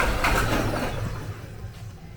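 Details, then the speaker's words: 2020 Nissan Qashqai 1.5 dCi K9K diesel with a leak-off kit fitted: steady starter churning, engine turns over but never catches, no fault codes or low fuel pressure faults; crank-no-start from injectors leaking back too much fuel. "It almost sounds as if it wants to go. But the strange part about it, it's not getting any low fuel pressure faults. And it'll do this all day long."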